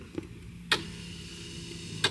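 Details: Mercruiser 3.0 boat with new starter installed, electric fuel pump run while testing the wiring; faint steady hum with a thin high whine under a couple of clicks, the fuel pump runs normally.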